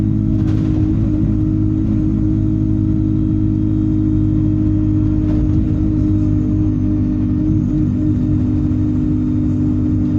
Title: Stagecoach Yorkshire Enviro 200 36720 Turbo Whine